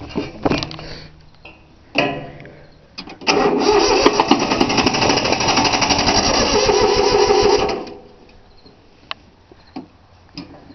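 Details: 3-cylinder Yanmar diesel cold start after repeated glow plug heating: steady cranking at about four compression pulses a second for several seconds, never catching; fuel lines weren't bled, air in them, though it usually starts right up.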